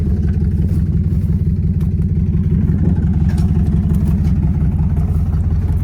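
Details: Toyota 1UZ V8 after sitting a few years, running on 10:1 fuel/auto trans oil to flush suspected stale-fuel-blocked injectors: heavy lumpy idle, about three loping pulses a second; sounding better but still two cylinders down, later clears up.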